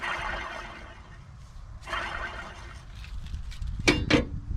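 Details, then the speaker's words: Husqvarna mower deck spindle with sealed, non-greaseable bearings, spun by hand: two gritty, rasping spins with dry rough rumble, then metal clinks; worn spindle bearing, being replaced. "i mean man a was making a bunch of noise and the bad thing about these there are no grease fittings whatsoever all these are sealed bearings"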